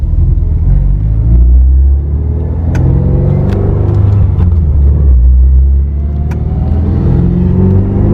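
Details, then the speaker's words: Subaru WRX turbo after Tomei exhaust manifold, DW300 fuel pump, 40 micron inline filter, stock coil packs back with regapped plugs, new MAF: deep even rumble pulling strongly under load, no misfire or hesitation; power loss fixed; owner thinks aftermarket coil packs ran lean and need a tune. "She feels good. She feels good. This is the best it's ever felt. I think the coil packs need a tune to run it."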